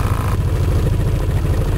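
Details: Gilera Nexus scooter: low throbbing rumble with uneven knocking pulses under the engine note, a strange unexplained noise from around the back wheel.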